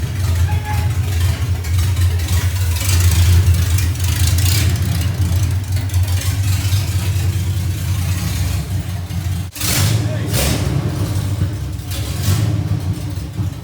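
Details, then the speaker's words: First test drive of 1982 FJ45 pickup with freshly rebuilt 1977 Toyota 2F and H55F 5-speed under load, up to second or third gear: strong deep steady drone, brief break at shift, clean pickup; engine and gearbox healthy. "man that was what a great feeling today was brilliant I mean truck going like second or third year I think at one point so"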